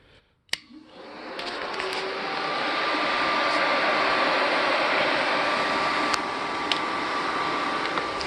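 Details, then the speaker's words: 2001 Polaris Scrambler 500 4x4 radiator fan tested by jumping its connector with the key on; it spins up within a couple of seconds, then holds a smooth, even whir with no rubbing, ticking or wobble; normal radiator fan running. "you can hear my fan is working just fine so that's pretty much it"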